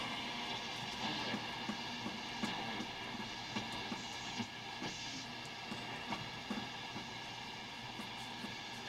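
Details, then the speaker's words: Hammarlund HQ-140-X tube receiver during restoration and alignment, tuned near 1.3 MHz with no antenna connected: soft steady hiss with scattered crackles and pops, no station; normal receiver background noise. "there's no antenna hooked up to this thing right now and you can tell it's trying to receive even right now"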